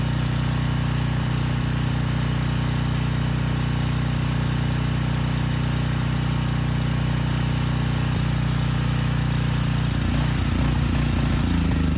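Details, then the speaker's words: Briggs & Stratton Storm Responder generator, engine 21T212-0116-G1, previously fuel-flooded into the oil and stuck at TDC, governor spring backed off for slow speed: even single-cylinder thump holding smoothly under load; it makes power, and initial smoke burned off. "okay that's all i wanted to see it makes power the engine sounds good it was smoking a bit but that burned off after a few minutes so i think we're good"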